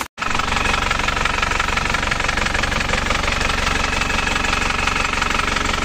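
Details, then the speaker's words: Isuzu Panther LS diesel as it arrived at the shop. It has a loud, clattering, limping idle of about 200 beats a minute with one weak cylinder. The mechanic suspects a severe compression leak, though uneven injector nozzles can also cause limping. "kelihatannya ada yang enggak ngangkat satu oke kemungkinan sudah ada yang bocer parah kompresnya ini"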